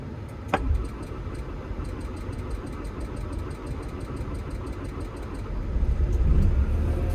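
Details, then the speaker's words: Diesel construction machine (Develon dealer service) in cold weather, after bleeding fuel through, cranks and catches quickly, settling to a steady even low idle with no misfire; check engine light on; running normally again. "Half an hour later, that's that machine going again."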